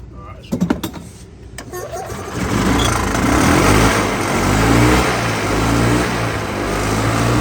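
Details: 1994-2005 EZGO gas golf cart hard to start: a few sharp clicks and brief crank, then catches after about two seconds into a rough uneven run; owner suspects bad coil, possibly running rich from carburetor; fresh spark plugs gapped.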